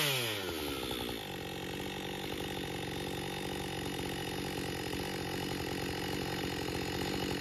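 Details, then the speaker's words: Husqvarna 562XP chainsaw after repair (bent decomp valve air leak found, piston replaced, pressure and vacuum tested; autotune settling in): drops from high rev into a steady, even cutting note without stumbling; pulls cleanly under load. "seems to run fine I was a little disappointed that it didn't start right away"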